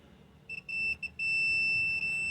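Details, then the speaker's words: 2007 Chevy Tahoe with crank-no-start and a P0300 random misfire code. A multimeter gives a clean beep, showing continuity on the engine ground wire behind the cam sensor connector. The ground wires were barely touching the block; the fix was cleaning the block and fitting a new connector. "there's a continuity here okay so this wire here is going to that wire i was showing you on the engine"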